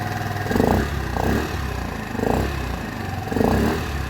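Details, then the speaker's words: 50cc four-stroke scooter (VD3 modification) after an air filter change with the intake hose fitted: a low, even purr with gentle swells about once a second and a slightly deep intake note. Normal idle, close to the original sound but a bit more muffled. "Donc tu vois comme on voit comme on entend ça ronronne mais par contre c'est pas super bruillant."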